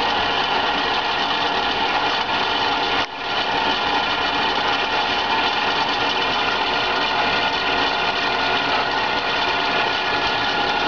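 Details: BRISA evaporative cooler WH2903A from PMI after about 60 hours of use, blower motor and water pump running: loud constant buzzing rattle over the fan rush, sounding like a failed motor bearing, but the blower wheel had slipped and rubs the housing; fixed by repositioning it.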